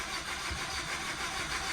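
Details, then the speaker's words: 2011 Nissan Rogue with coolant in the cylinders, owner sure it needs a new motor: continuous cranking drone that never catches or speeds up; long crank, no start. "that is what the car usually does which is why I'm pretty positive it needs a new motor"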